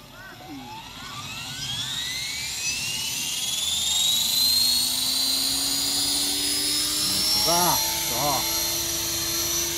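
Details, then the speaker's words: T-REX 500 RC helicopter: the whine climbs steadily in pitch as the head spools up, with a wavering warble on top. A strange noise of unclear cause, with the tail wagging. "なんか変な音してる。"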